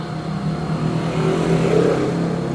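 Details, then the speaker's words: Rusty Shimizu 300 W water pump run from a 12 V to 220 V, 150 W modified-sine inverter, turning slowly and drawing about 60 W: a steady, coarse low buzz. The modified sine output makes the motor hum. "yang jelas buat pompa air yang ada bebannya air itu gak kuat Mas guys dan bunyinya itu mendengung ya Mas guys"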